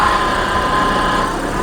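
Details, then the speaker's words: VW Passat B3 idling while the power steering system bleeds: a steady mid-pitched whine from the original pump, audible before as well and now no louder. "idzie troszkę pompę słychać Ale on wcześniej też było słychać także nic bardziej nie hałasuje Pompa jest oryginalna bo według numeru jest oryginalne"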